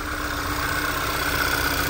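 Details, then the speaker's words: VW 2.0 TSI turbo (Tiguan), 97,000 miles, P2187 code, PCV already replaced, bell housing wet and dripping; rough idle right after startup; steady hiss with uneven wobble, vacuum leak, later traced to the rear main seal. "so a quick Diagnostics 97 000 miles not even that many miles we start the vehicle and it's going to idle Rock"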